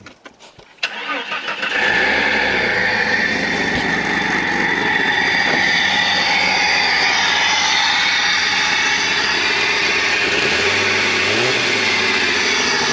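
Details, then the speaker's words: 1997–2001 Jeep Cherokee XJ 4.0 six-cylinder after upgrading to four-hole fuel injectors, no leaks, idled a few minutes: quick crank, catches firmly, smooth steady idle with no misses or ticking; healthy. "all right guys so we let it idle for a few minutes let it even out"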